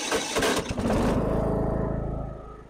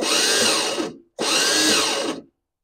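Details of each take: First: Lawn tractor that squealed and wouldn't start because of worn starter teeth, after the starter is replaced: a brief rough crank, then the small engine catches at once and runs steadily. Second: Lawn tractor at start attempt: two bursts of harsh whirring squeal without cranking, because the starter pinion teeth are ground down and not engaging; the fix is replacing the starter.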